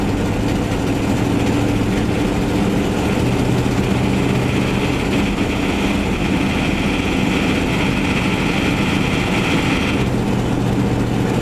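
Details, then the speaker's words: Van test-driven before repair: loud, raspy, uneven exhaust drone with a hissy edge over the engine note. Later traced to a bad exhaust donut gasket, both mufflers rusted out and a rusted-out tailpipe section; exhaust leak. "so I just kind of wanted to do a quick test drive and show you guys the last of the exhaust leak issue that we're facing and obviously can hear it in the background"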